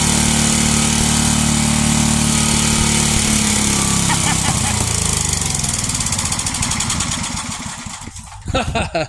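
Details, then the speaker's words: 33-year-old Homelite 8 hp, 4,000 W yard-sale generator; the single-cylinder engine runs strong and steady with a fast even beat, then winds down to a stop; it runs and makes power but leaks gas. "All right. Well, so it works. It runs, makes power, leaks gas. Not a big deal."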